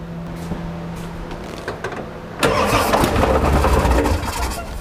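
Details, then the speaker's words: Ford 7.3 Powerstroke diesel with engine oil getting into the fuel tank: about two seconds of cranking, then it catches and runs rough but steady. It started well with no glow plugs, with engine oil in the fuel helping it fire. "that's why it started which by the way it started great for no glow plugs"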